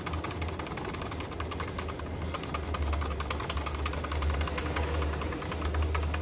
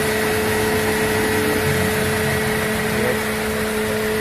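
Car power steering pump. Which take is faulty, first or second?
first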